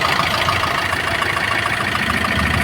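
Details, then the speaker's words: Maruti Suzuki Swift diesel at about 154,000 km, after replacing the full timing kit for a heavy knocking: an even idle with only a light, regular injector tick and no knocking, the engine now silent. Normal idle after repair. "तो देख सकते पहले इसमें कैसा आवाज था पूरा खड़ इस में बिल्कुल आवाज नहीं है"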